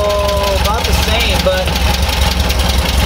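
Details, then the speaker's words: Freshly rebuilt air-cooled VW bus engine with dual carburetors during balancing: slow, loping, uneven low rumble barely ticking over; idling too low, so one carburetor side is brought up until the airflow meter reads about five. "it's idling super low so I think we're actually going to bring this side up just a little bit"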